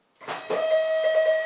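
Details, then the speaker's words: CNC Z-axis stepper motor, driver set to 4.2 A, 48 V 240 W supply, jogged at 50% speed: clunks then steady high whine with stuttering pulses as motor turns briefly and stalls; owner suspects speed too high. "Vous entendez le bruit ? Le moteur se bloque, il va tourner un petit peu et il se bloque."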